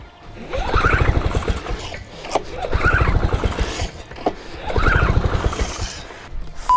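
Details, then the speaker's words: Paramotor on pull start after re-priming: it turns over in bursts of rapid chuffs but never catches; the owner thinks it is flooded, and petrol is leaking out. "honestly I think it's flooded ah yeah we got plenty of petrol leaking out of there"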